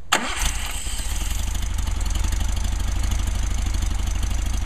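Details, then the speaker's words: Rebuilt 220S engine cold start at ambient temperature after one accelerator pump: brief crank, catches at once and settles into a steady, even idle. 90–100 psi oil pressure, no knocks or misses; a healthy engine. "operation sounds good and looks good a Happy Engine not much to do except let it warm up"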